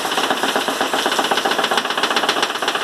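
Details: 2012/2013 Chevrolet Classic LS driving on cobblestone road: quick hard knocking about four per second inside the door; window glass channel screw loosened, letting the loose channel and glass bang.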